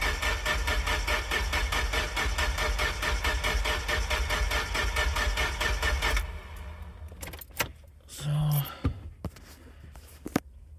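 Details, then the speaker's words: Nissan 240SX no-start after a blown 10 A fuel pump fuse and wiring repair: steady, even cranking at about two turns a second for six seconds, never catches; no fuel through the return line and no vacuum while cranking. Cause not confirmed. "So, when I was cranking it, took the return line off and no fuel is getting through the return line."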